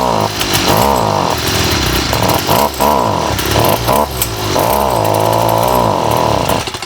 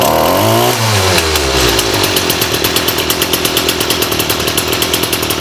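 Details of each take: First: STIHL FS38 two-stroke trimmer before repair, carb already rebuilt, spark arrestor cleaned, low on gas then refilled: revs surge then sag and stumble every second, never holding speed; bogging from a faulty carburetor. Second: STIHL FS38 two-stroke trimmer, primed, choke on: high buzzing rev falls to a quick, lumpy idle that pulses steadily without dying; bogging fixed, normal running.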